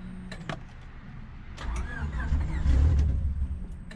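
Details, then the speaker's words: Cheap eBay turbo Honda Civic build, first start attempt after priming oil: starter cranks about four times a second, almost starts but never catches; owner suspects a fuel problem and plans to check the fuel rail feed line. "it almost started all right we're gonna try to put some starting fluid to see what happens this is a stuff right here I'm gonna be putting into there it sounds like we're having it's kind of feel problem"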